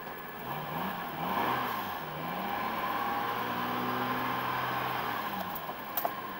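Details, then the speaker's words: One of three used vehicles for sale (1998 Honda Civic, 2000 Acura, 1994 Chevy 1500), with a check-engine oxygen-sensor code and an SRS light: quiet, even engine note with light revs, no ticking or knocking. Runs healthy. "sounds good sounds great let's keep on going on to the next one"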